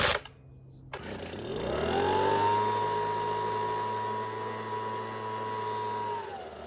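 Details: Homelite two-stroke leaf blower (no throttle, high/low/off switch) started on fresh gas with full then half choke after new primer bulb: climbs to a high steady buzz, holds evenly without surging or sputter; running healthy.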